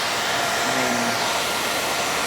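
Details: KTM dual sport motorcycle, newly installed 2-wire 120mm PC case fan on the radiator, switch-activated wiring test, heard from around the other side. A smooth, steady airy rush with no ticking, rubbing or wobble: normal fan operation.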